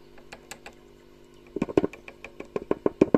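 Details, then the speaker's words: Award-Session Duette solid-state amp, near stock: over steady hum (possibly power transformer), light taps on preamp resistors become loud thumps from the speaker; microphonic preamp resistors, possibly cold solder joints or failed components. "these resistors definitely are 24 and it's counterpart down there and hear it quite clearly it's microphonic"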